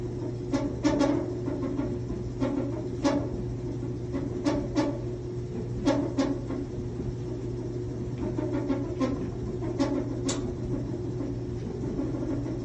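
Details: 6-7-year-old Samsung top-load dryer running: steady low drum hum with irregular sharp ticks and knocks every second or so while tumbling; abnormal knocking, cause unclear.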